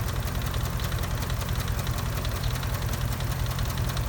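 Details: 2004 Dodge Ram 4.7 V8 with a cylinder 8 misfire, regular light ticking about 2.5 per second over a low steady idle; a shop couldn't determine the cause.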